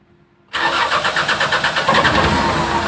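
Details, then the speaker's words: Mitsubishi diesel truck that ran out of fuel and sat several days, after bleeding the fuel system: catches after a short silence and runs shaky and uneven, because the injection pump line from the filter is still empty of fuel, with air. "emang agak sedikit bergetar dulu nih. Nah, ini bergetar. Kenapa bergetar? Jadi BBM dari pompa dari pompa masuk ke filter, dari filter ke bospomnya itu masih kosong."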